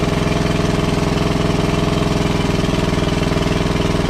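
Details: WWII Chore Horse 300-watt battery charging set, model CH1 395-5, original 1940-41 paint, after slight throttle-screw adjustment: steady, even single-cylinder thump about three and a half beats a second, no misfires or knocks; smooth and healthy, works great.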